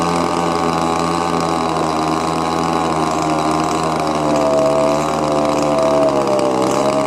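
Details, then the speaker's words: Old Echo leaf blower with a cracked primer bulb, choke on: small two-stroke holds a steady high buzzing idle that never settles; mixture screw adjustments have no effect. Later found a stuck carburetor metering lever (flapper). "It just doesn't seem like the adjusting the fuel air mix is doing any good at all. So no matter what I'm doing going in and out on both the high and the low, it's still just bogging down."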